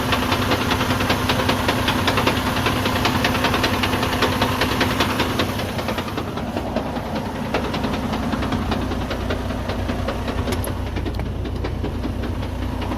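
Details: Freightliner Cascadia with Eaton 13-speed transmission: loud, uneven knocking about two and a half times a second over the diesel, loudest when the clutch is released and coming from mid-truck; broken gear teeth inside the gearbox.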